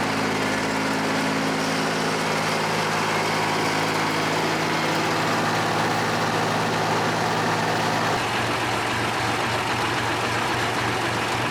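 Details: John Deere 350B bulldozer, rebuilt engine's first start after install, break-in idle: smooth, even diesel idle with constant deep hum settling slightly lower near the end; no knocking or misfire; normal idle.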